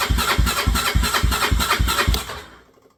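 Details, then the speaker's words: 1986/87 Honda 350D sitting two years, new battery, fuel pump vent hose plugged with finger: even starter chugging about three and a half strokes a second, then dying away; cranking, not catching, pump starting to deliver fuel. "I just actually started feeling it pumping on my finger so I think we're getting [Music] fuel"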